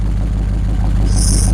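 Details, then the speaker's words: LS1 V8 with cross-ram/side-draft injection and retuned stock PCM, first run on run stand, no throttle cable: steady even low rumble but idle sits noticeably fast; owner plans to turn the idle down, smells really rich. "I'm running a bit fast actually I might see if I can"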